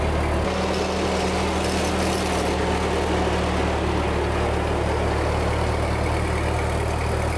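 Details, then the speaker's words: 1946 Ford 2N tractor flathead four-cylinder after head gasket replacement: an even, steady low rumble with no misses, knocks or hiss over several seconds. The engine runs smoothly and normally. "it's been purring like a kitten for a little while and I've got it back together so let's see if it goes down the road"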